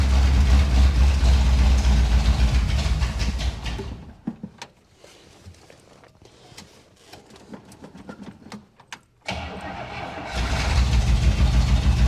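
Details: 1961 Buick Electra 225 with a 401 Nailhead and a bad accelerator pump, carburetor needing a rebuild: fires and runs rough about four seconds, dies, then catches again near ten seconds; it won't keep running. Cause suspected, not confirmed.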